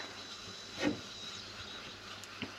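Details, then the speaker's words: Carbon fiber resin infusion, extra vacuum bag over old mold with small air voids in thin laminate near window: thin steady high hiss under quiet pump as air leaks through holes; vacuum bag leak, to be sealed with thickened epoxy. "we have some holes. I think you can maybe hear it on the camera now, how it hisses."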